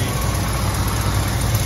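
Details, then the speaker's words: 1972 Ford F250 4x4 with a 1977 engine, warm idle: smooth V8 with a faint puffing tick on one side from a small exhaust leak; no smoke, engine otherwise clean. "on this side. You can hear an exhaust leak."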